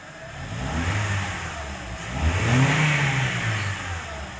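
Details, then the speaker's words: Honda Civic Hybrid that had P1024 valve pause system sticking, P0300 random misfire and rocker-arm noise, after refitting the faulty linkage. Revs rise from idle smoothly and fall back with no ticking or knocking; only faint wiring noise remains. Normal revving. "ठीक है तो यहां पे आप देखेंगे तो बिल्कुल smoothly जो है गाड़ी रेस गाड़ी है एक्सीलरेट हो रहा है कोई एक्स्ट्रा आवाज़ नहीं है"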